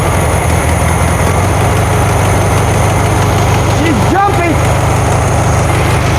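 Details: 1972 VW Karmann Ghia, air-cooled carbureted engine, first run after sitting for many years, choke just adjusted: a loud, steady low chug with a slightly hunting beat; a little jumpy with the valves not yet done, cause unconfirmed.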